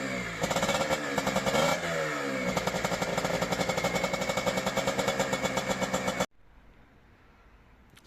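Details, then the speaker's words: CanAm Rotax 125 two-stroke on its first test run with a replacement engine, overhauled carburetor, new right-side exhaust header and separate oil lubrication: crisp rapid crackle with even firing pulses, revs blipping and settling; runs cleanly, minor tuning still needed. "wie ihr gesehen habt, gibt schon wieder Lebenszeichen von sich."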